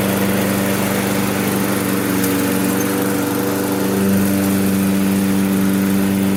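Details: Toro self-propelled lawn mower with Briggs & Stratton 6.75 auto-choke engine, just tuned up (new spark plug, cleaned carb, fresh gas; wouldn't restart when warm). On the first pull after the tune-up it holds a steady, even drone with no misses or surging, running healthy.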